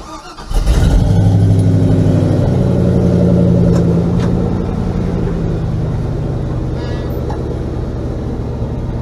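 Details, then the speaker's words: 1977 GMC Sierra K25 with a swapped 2002 5.3L V8, SM465 4-speed and NP208 transfer case, driven about 3 months. Quick crank, catches straight away, and settles into a smooth, even low idle with no misses or knocks: normal start. "Runs really well. No issues with it at all."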